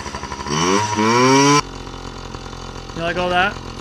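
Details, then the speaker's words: Yamaha PW50 two-stroke with freshly cleaned carburetor, deliberately run dry of fuel: revs climb, falter and cut out, a short weak rev dies again; fuel starvation bog, which is what the bike was doing before. ">> And just like that, that's what the bike was doing."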